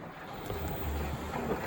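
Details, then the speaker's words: Miele Professional WS5073 washing machine with a DIY heater element made from a generic Bosch element, temperature past 90: soft churning, bubbling rush from the drum as the water boils, steam from the drum hose, no leaks; heater working. "You can hear it boiling now."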